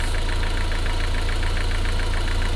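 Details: MG TF 160 VVC, rebuilt Rover K-series engine: low regular idle, even rhythm, no misses or tapping; pressure 2.2 bar running, combustion gas test shows no gas in coolant, head sealed.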